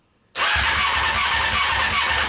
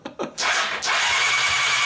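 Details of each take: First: Honda CBR600 engine, cranking: rapid steady starter cranking with no firing; spark is intermittent, only sparking now and again, suspected electrical fault. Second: Honda CBR600 engine out of frame, starter wires shorted to crank: quick high whirring spin turning the engine over steadily with no firing; weak spark present; starter works, no start.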